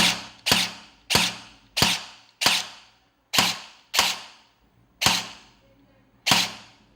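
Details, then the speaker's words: Guarder AKM airsoft rebuild, replaced gearbox (old one had worn bushing holes), SP120 spring and AOE buffer, dry firing on semi: sharp single pops about a second apart, each with a short fading zip, normal for infinites; gearbox cycles cleanly. "It has that zipping sound, which is still quite normal for infinites."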